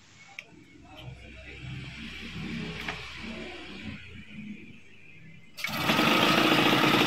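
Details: Yamaha Chappy with a hard-start electrical issue, now running on an RS100 CDI wired with three wires: quiet fiddling, then the engine catches at once and settles into a brisk, even buzzing run with no misfire or stumble.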